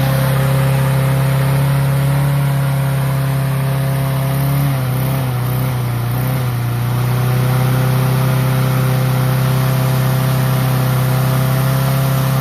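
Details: Troy-Bilt mower with Honda engine, after carburetor cleaning and draining water-contaminated fuel, previously would not start: smooth steady hum at fairly high speed with a brief dip, no stumbling or misfire; runs well.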